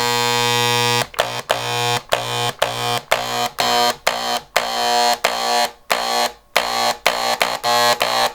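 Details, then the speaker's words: Harbor Freight electric paint sprayer gun, similar to Wagner guns, after a deep clean and reassembly with the cleaned atomizer, cone and pickup tube, loaded with paint. A loud, harsh electric buzz in about a dozen short trigger bursts at a steady pitch; pumping properly. "Anyway, there it goes. That's what it's supposed to sound like."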